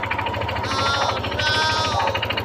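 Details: Yamaha NMAX 155 engine with failed connecting rod: steady, fast knocking locked to engine speed over the running note, deep rod knock from inside the crankcase.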